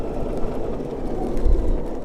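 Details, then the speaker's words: 2022 BMW CE 04 scooter riding over cobblestones: uneven rattles and jolts over a low rolling rumble; ordinary chassis shake, as expected. "it's got some rattles i guess and some shakes uh okay it's as expected okay it's it's beating me up that's enough"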